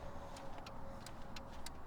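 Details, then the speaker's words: 2014-2022 Jeep Grand Cherokee running with switchback LED turn signal bulbs fitted: rapid relay clicks about three a second over a low idle rumble, hyperflash with a front-turn-signal-out warning, until the bulb is rotated 180 degrees. "All right, so it's blinking. I'm getting hyperflash, as I'm sure a lot of you are getting hyperflash."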